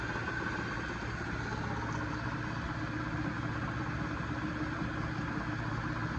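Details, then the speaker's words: Lathe-headstock milling machine power head on a phase converter set for about 48 RPM: steady, even low hum and drone holding constant, no knocks or rattles; running smoothly. "There we go, everything's running nice and smooth."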